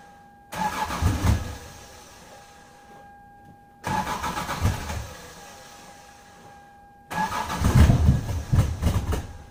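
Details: 1996 Lexus SC300 manual, 2JZ-GE, cold start with the coolant temperature sensor under the intake manifold unplugged: three long cranking bursts failing to catch; once plugged back in it started right up.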